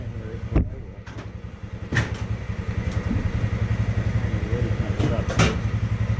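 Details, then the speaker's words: Polaris Sportsman 600 with about 120 psi in one cylinder and 30 psi in the other: turns over slow and lumpy, firing unevenly at three to four beats a second and barely staying lit; low compression, needs a rebuild. "all right YouTube we got some bad news with the sportsman six hundreds yep unfortunately she's got no compression Wow I don't say no compression she's got 120 pounds in one cylinder which is still obviously not enough and she's got a thirty pounds and the other state cylinder"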